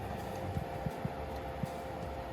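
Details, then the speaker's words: Aston Von XT variable speed pool pump at medium speed; steady, even hum with a soft whir, no knocks or rattles, far quieter than a single-speed pump; running healthy. "then it does but you can hear the sound it's still nowhere near the sound of a single speed pump"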